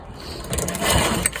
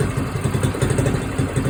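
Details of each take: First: Motor-assist tandem trike moped, cold start, choked, pull start with the clutch up: only the rattle and whir of the engine turning over, no firing at all. Owner may need to prime it. Cranking no-start, fuel starvation. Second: Small red moped idling on its stand just after a cold start, choke off, governor holding idle while warming up: steady, even single putters with a soft light exhaust note; normal idle.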